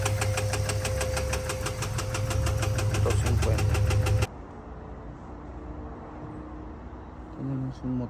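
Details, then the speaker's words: 2022 Ford F-250 7.3L V8: sharp, even ticking about three times a second until shutdown. Teardown showed a stuck, collapsed hydraulic roller lifter with a loose rocker arm and a damaged camshaft. "Pueden ver este otro que ya no sirve, ¿no? Esa era la causa del ruido que tenía."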